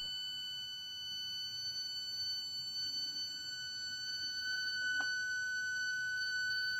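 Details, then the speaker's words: Arduino with motor driver board driving a motor through a 5 V reference potentiometer (throttle simulation): thin, steady high whine with faint upper ring; PWM frequency below 18 kHz is audible, Arduino software can't go higher yet. "The Arduino software is not meant for that right now, so you pretty much will hear that whining noise."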